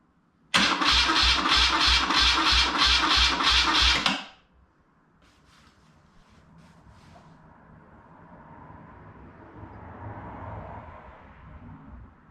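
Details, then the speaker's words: BMW R100 airhead boxer twin after full rebuild (new crank, rods, rings, seals, gaskets), coils disconnected, cranked in five-second bursts to check oil reaching the rockers; strong even cranking about 3.5 turns per second, no firing; normal starter cranking. "we're ready to crank this over and see if we can get some oil coming out of the top of the rockers"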